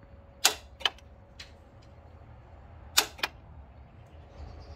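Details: Toyota Land Cruiser Prado Denso starter (1KZ-TE): sharp metallic clicks in pairs with silence and no cranking when key turned; starter solenoid with worn contacts, temporarily fixed by tapping starter, then rebuilt.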